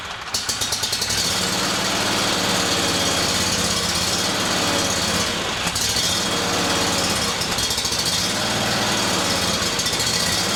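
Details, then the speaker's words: Briggs & Stratton Vanguard 37hp big block EFI engine, freshly serviced with new plugs, filters, oil and fresh gas: starts and runs with a slow lope, speed bobbing up and down, surge persisting even when warm; fuel pump suspected. "You can see this engine's got that little surge in it. It never goes away. Even when the engine's warm, it still has that little surge or that little bounce."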